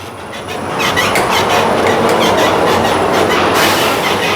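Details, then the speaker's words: Ford Ranger rear suspension shaken on a suspension test machine: rapid metallic clunks with high squeaky creaks from the worn leaf spring; wheel hub also noisy, leaf springs to be fixed first. "tem um barulho forte na traseira ou vem característicamente bem aqui do feixe de mola tá eu ponho a mão aqui faz um Olha tem um rangido tem um rangido e tem também o tranco"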